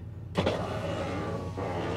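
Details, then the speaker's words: 2001 Ford F150 Stepside at auction, power window operated: motor whirs about two seconds with a strained, laboring, screaming tone as the glass moves, pointing to a binding window in that door; the other door is fine. "I don't like that sound I don't like that sound at all okay that one's fine but this door was just exacerbated by the thought of having to go up and down he is protesting"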